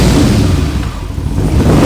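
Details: Engine revving on a VW Transporter swapped to a twin-turbo Audi RS4 engine, mic set down by the engine. The deep note climbs, sags briefly, then climbs again with no knock or rattle. It blows black smoke and has bigger fuel pumps, so it still needs tuning.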